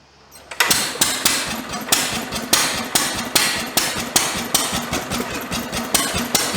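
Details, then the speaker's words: International Harvester LB 3–5 hp stationary engine, hard starting, fuel intake inspected; sharp evenly spaced clacks about three a second while cranking but never catches, spark plug suspected as cause. "well I think it's safe to say that it's most likely the sparking plug causes an issue you know you can crank on the sucker all night long it won't do nothing"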